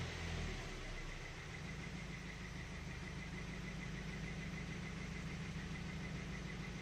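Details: Ford Focus 2, 1.6 litre 100 hp four-cylinder, recorded from inside the cabin at idle: a faint, loosely regular tapping about three per second under the drone; engine knock, cause not pinned down.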